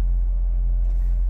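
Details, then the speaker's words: 2007 Honda Civic with check engine light, codes P0302 cylinder 2 misfire and P0420: low uneven idle rumble with stumbles, rough and missing, jerking the car; owner suspects cylinder 2 spark plug/ignition, about to replace it. "gave it a little gas it sounds good but it's rough see there it goes it's rough it's missing and I feel it jerking the car a little bit whenever it does it"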